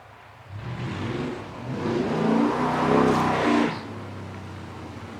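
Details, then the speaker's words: 1989 Dodge D200 road test after cam bearing work and oil pressure fix, timing set at 35° total advance at 2800 rpm: engine pulls up smoothly and eases off evenly, no knocks or misses; transmission shifting good, oil pressure good, normal running under load. "that's going to be a wrap on kayle's 89 Dodge for now transmission shifting good oil pressure is good"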